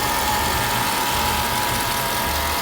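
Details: Mercedes E55 AMG V8 at idle: steady high-pitched whine holding one pitch over smooth idle; source not pinned down, owner wonders about harmonic balancer, unconfirmed.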